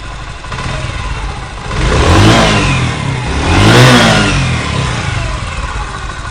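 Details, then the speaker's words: 2023 Honda CG125 motorcycle after the engine noise fix of re-seating a part and retightening its nut. Two clean revs rise and fall smoothly from idle with no rattle or ticking; the engine noise is gone. "देखिए माशाल्लाह ज़बरदस्त होगी। सिर्फ 10 रुपए में आपकी बाइक की इंजन की आवाज़ ओके।"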